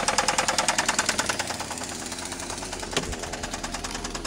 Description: 1999 SL2 starts everytime but smokes and has Rod Knock 1.9L twin cam